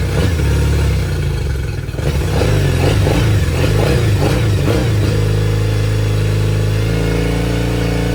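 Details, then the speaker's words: Yamaha T50TLRD 50HP outboard after head decking and new head gasket: revs unevenly with choppy stumbling beat; one cylinder missing. "all right guys well she's back to running seems to have a little bit of a miss or Uh something's acting up with her so we're going to do a little bit more investigating"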